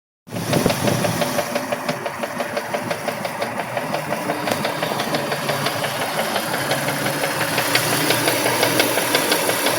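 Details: Mitsubishi 3000GT at idle, rod bearings already replaced and within spec: sharp regular tick about three times a second; owner suspects a collapsed lifter, unconfirmed.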